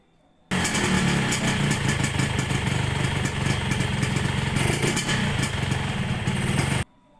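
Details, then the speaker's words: 1997 Yamaha RX-King two-stroke motorcycle at idle: rough, uneven knocking from the lower engine at about three to four per second over a busy idle; loose magneto flywheel nut, fixed by tightening it. "Suaranya agak kasar banget ya. Oke, suaranya ini di bagian bawah ya. Kemungkinan atau penafsiran kita ini di bagian area magnet."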